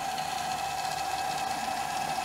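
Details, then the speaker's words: Amstrad CPC 464 tape deck (DataCorder) after repair and servicing, rewinding tape with a steady, even mid-pitched whir and no wobble, squeal or drag; rewind works normally. "and it is it's rewinding so that's working great"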